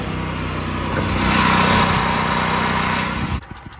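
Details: Generac GP 8000E generator powering a Vulcan OmniPro 220 welder: strong, steady drone while the welder pulls load, settling quieter when the arc stops. Running normally; the welder previously tripped with an error after a few seconds of welding on this generator.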